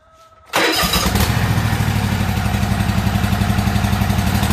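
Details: Year-old Toro zero-turn mower after a no-start repair, run with old spark plugs, fresh gas and the air filter back on, catches into a lumpy, uneven idle; it still sounds wrong, possibly skipping.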